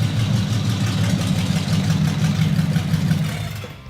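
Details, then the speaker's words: Engine on exotic carburetors with only part of its exhaust fitted: a deep, lumpy, even beat that pulls cleanly through a rev and settles to a smooth idle, with good oil pressure and throttle response; it is running healthy. "It lays right down to idle and just purr smooth. Look at that. Totally rev. That's the reason I chose this engine from the start because of the sound."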